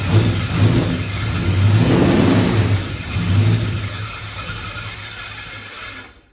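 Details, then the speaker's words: Budget shed-built 360 small-block V8 just installed in a 1971 Dodge Demon 340, first start: it revs up and down with a thin, steady metallic scrape. The starter pinion is rubbing the new flywheel; a washer was fitted under the starter. "What's that sound? What's that noise? Starter. The starter is in the flywheel with this new flywheel, and that's a problem, so I put a washer under it."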